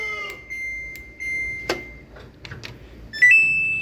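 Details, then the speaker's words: Samsung washing machine repeatedly beeps about a minute after pressing start, with no error code; at times it pumps, then beeps; high steady beeps in short bursts, cause unknown. "ปกติซัมซุงตลอดหลังจากกดปุ่มสตาร์ทเครื่องจะปั๊มระบายน้ำออกแล้วจ่ายน้ำเข้าเครื่องสูบน้ำไล่น้ำส่วนเกินในเครื่องออกให้หมดก็เปลี่ยนใหม่นั่นคือเมื่อมันเปลี่ยนไปใช้น้ำประปาเมื่อนั้นหากเกิดความเสียหายจะไม่ปั๊มไม่เคยวิ่งสักระยะหนึ่งประมาณ1นาทีต่อมาเสียงบี๊บดังขึ้น"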